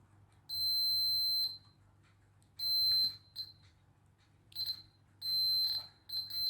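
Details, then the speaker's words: Makita 8400D 9.6V cordless hammer drill, continuity test on the push switch after cleaning its corroded contacts, positive to positive: clean high steady beeps about a second each as the probes touch; good continuity. "Positive, positive. That sounds good."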